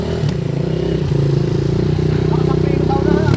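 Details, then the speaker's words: Honda XR 200 (200cc) enduro, stored about 8 months after failing to start, at fast idle with an uneven, slightly stumbling single-cylinder beat while the carburettor is still being tuned; slight misfire. "Tuno muna natin to. Medyo palyado pa eh."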